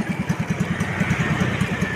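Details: Standard motorcycle engine with a CPO PE24 carburetor, after a road test: a steady, even single-cylinder putter of about ten pulses a second with no misses or stumbles; clean, normal idle that needs little adjustment.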